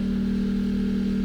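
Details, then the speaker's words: Portable generator with eco mode off charging a Tesla via a J1772 portable charger, load stepped up to 12-13 amps: deep steady drone, no surging or stumbling; working hard but holding the heavy load. "can hear the generator working harder, 12 amps. If I do 13, it might kill it. Let's see. 13 amps. Oh, it's working hard."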